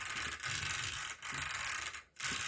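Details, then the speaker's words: Rlaarlo ROG1 1/14 RC truck after a pinion gear upgrade: light rapid clicks as the wheels roll freely by hand. The pinion is backed off just enough not to bind against the spur gear, indicating correct gear mesh. "move your pinion gear just a bare minimum bit where it's not bound up against your spurt gear and you'll hear it clicking"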